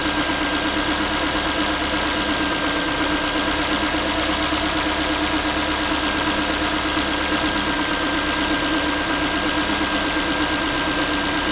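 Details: Ford Focus 3 1.6 (125 hp), manual, after cold start: a light, tinny, pot-like tapping about three per second over steady idle; metallic knock, source unknown, owner asking what it is.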